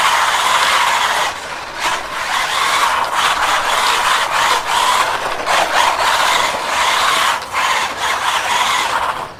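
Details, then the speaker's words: SG-1603 RC drift car after teardown, drivetrain running with throttle bursts: light, even mid-pitch gear whine with no grinding, much quieter than before; normal drivetrain running. "that is definitely so much quieter"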